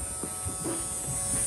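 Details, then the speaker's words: 2008 Mini Clubman R55 1.6 diesel (W40D16), parked 2 years, crank no-start with about 6 bar fuel pressure versus 5300 requested, return line found blocked: steady electrical buzz, engine off, pressure control valve energised but no fuel delivered. "maybe they had the same problem with this one and they filled it up oh it's buzzing again"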